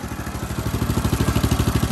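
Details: Homemade go-kart with Honda GX390 single-cylinder engine, just after adjusting the carburetor idle: even steady low thumping about fourteen beats a second, no misses or hunting; normal smooth idle.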